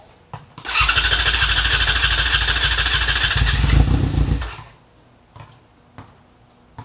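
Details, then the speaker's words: Yamaha FZ6R with R6 front-end conversion, first start in about a year, in neutral on rear stand: fires right up, loud steady even exhaust beat for a few seconds; normal start and run. "is that's the beautiful handle that you're hearing right now"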